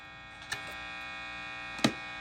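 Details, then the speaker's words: 1950s Gibson BR-9 tube guitar amp, both input tips grounded and volume at max: steady low buzzy hum with two small clicks over it; preamp hum persists even with the inputs grounded. "Then, but even with the tips grounded, you're still getting some of that noise."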